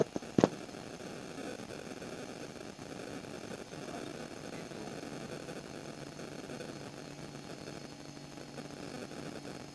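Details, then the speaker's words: Refrigerator compressor re-plugged about two minutes after a capillary clog during freon charging; the filter has warmed again, showing the flow is clear. A single click at start, then a quiet, steady, even low hum; normal running. "ini hanget kembali. Jadi ini sudah lancar lagi. Saya akan tes lagi ini apakah masih mampet lagi."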